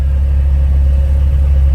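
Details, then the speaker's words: Honda S2000 with brand-new OEM F20 short block and new cylinder head, freshly built after original engine seized, blower running nearby: deep steady idle with an even beat, no popping or stuttering, normal. "you want to make sure it's not popping or stuttering in there but just nice"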